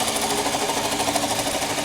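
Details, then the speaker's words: 2007 Toyota Camry, 265,406 miles, idling with hood open, no smoke and running fine: fast light ticking over a busy idle with steady clatter; source unknown, owner suspects the alternator. "She's running with no issues, no smoke, whatever. She's a pretty much solid car. Yep. It's just that sound. I just can't figure what that sound is."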